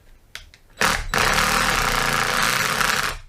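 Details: Milwaukee M18 FID Fuel Gen3 impact driver spinning up with a harsh, rattly buzz instead of a clean whir, running rough; belt clip lost, taken apart to find the strange running noise.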